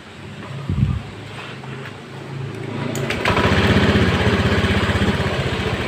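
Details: Honda Beat ECO scooter that stalled often, lacked power and had late throttle, after TPS adjustment to a normal 0.48 V (was 0.80 V): catches and settles into an even beat that swells smoothly with throttle. Normal idle and throttle response.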